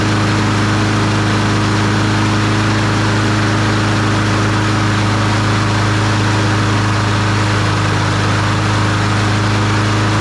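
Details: Troy-Bilt TB200 push mower, Briggs & Stratton 550E 140cc engine, started by pull start after checking the primer: steady, even single-cylinder beat with no misses or surging; sounds like a healthy running mower.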